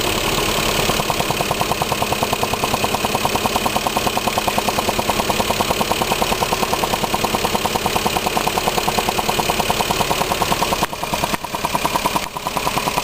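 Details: Lexus IS300 with 53k miles, an SRT ECU and intake, fresh oil and EVAP codes P0440 and P0446; a steady, even ticking at two to three per second over a smooth idle that starts after a minute, goes away with hard revving and returns within seconds, cause unknown.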